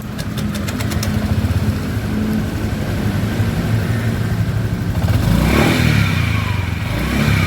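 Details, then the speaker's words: Honda Vario scooter CVT: steady low storm-like rumble over the engine that swells with throttle and rises with revs; CVT noise, CVT to be opened and parts replaced. "Ini suara motor di bagian CVT ya motor Vario"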